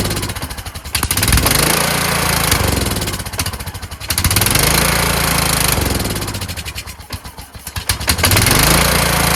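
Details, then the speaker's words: Kohler Courage engine on a tractor, run on choke after a cylinder head swap, carburetor replacement and valve lash adjustment; uneven surging with loud swells and sags, revs never settling. Owner thinks the throttle bracket and return spring are involved. "It's the same as before. has something to do with this throttle bracket. I put a spring here to have it return, but it was causing it to want to stop."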